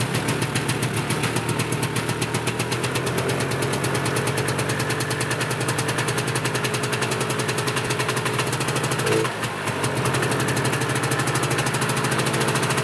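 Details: Yamaha Bravo 250 snowmobile two-stroke, after cleaning Keihin carburetor that had caused bogging once warm: crisp even popping at steady fast idle, no stumbling or bogging; normal idle.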